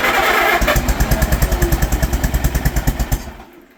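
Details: Old Allis Chalmers crank-start tractor, barn find stored at least 20 years, motor cleaned out, actual first start: catches with a loud bang, then uneven chugging about three beats a second before dying away, a backfire on first start.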